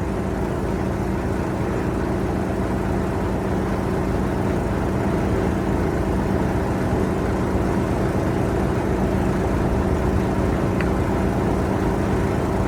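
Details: 1973 Mack FR711 with 250C diesel and quad box, first start after priming air out of fuel system: low, steady, even idle rumble under loud air compressor clatter; engine caught and running.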